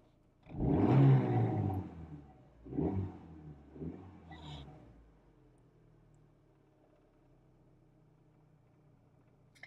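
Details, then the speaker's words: 1980s Proton Saga (Black Knight), heard from inside the cabin, remarkably quiet: a few short revs rise and fall smoothly, then it drops back to a soft, low, even idle; normal healthy revving. "it's remarkably quiet actually from inside the cabin so give it a little rev so you can hear what i'm talking"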